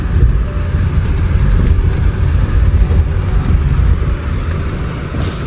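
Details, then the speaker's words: 2020 Range Rover Evoque L551 with AJ20P4 2.0 L petrol engine, driving on the road after a misfire repair: deep, even engine rumble with no stumble or miss, pulling smoothly; normal running, the engine is healthy again. "So everything is working right now. The vehicle is back to life."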